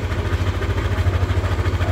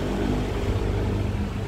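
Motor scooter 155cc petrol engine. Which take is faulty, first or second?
first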